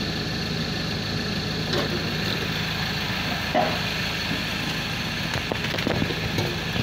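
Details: Ford Transit 2.2 rear-wheel-drive diesel with a failed turbo: a steady high whistle over the idling diesel clatter, pointing to excessive turbocharger shaft play.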